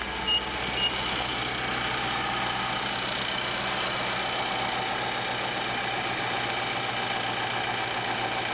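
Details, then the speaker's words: 2011 Infiniti M56 VK56VD V8, a little over 100,000 miles, after replacing the bad right cooling fan module, AC on at idle: even steady rushing whoosh with no rattle or surging, both radiator fans running normally. "there you can see this one's barely barely holding itself because this fan is running already and then yep this one's running too"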